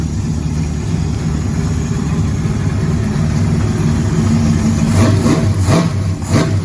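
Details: Nova race car V8 restarted after thermostat housing refitted to fix water leak: deep, steady rumble with sharp throttle blips picking up cleanly; sounds healthy, leak fixed, one small fitting still to deal with (fuel pump later found cracked).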